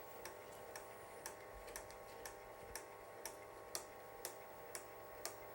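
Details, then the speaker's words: Wolverine Moviemaker Pro 8mm/Super8 film scanner transferring a 1968 Blackhawk Films Prevue8 Super 8 silent reel, just after passing a fold and splice; light, even ticks about twice a second, frame advance corrected itself and runs normally at about two frames per second. "not bad not bad it and it sounds like it corrected itself it's ticking away just right and this is i believe two frames per second that it transfers at"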